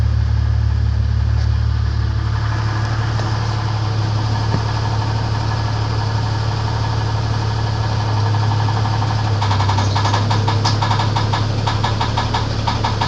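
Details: 1994 Grand (4-litre) engine at idle: dull knock tapping about four times a second over low rumble; engine knock, cause unknown.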